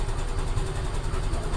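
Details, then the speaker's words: Yamaha Mio Gravis 125 scooter that was hard to start, after cleaning the magneto and stator and fixing the socket: steady, even idle with a smooth low putter and no misses or knocks; engine running right. "Okay na siya. Yun lang ginawa ko mga ka-ride para mag-start itong motor na talaga kasi hirap talaga siya mag-push start."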